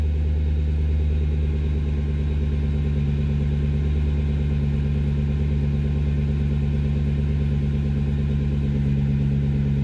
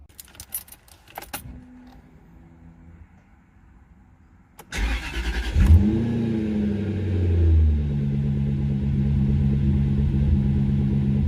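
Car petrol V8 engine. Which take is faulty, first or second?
second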